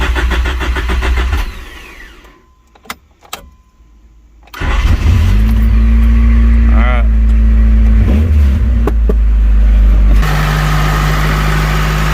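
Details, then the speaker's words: Honda CRX Si after oil change, fuel filter replacement and reassembling the air intake tube: brief crank, fires right up and holds a smooth steady idle, running well. "should be good to go right so far it seems like it's running pretty good"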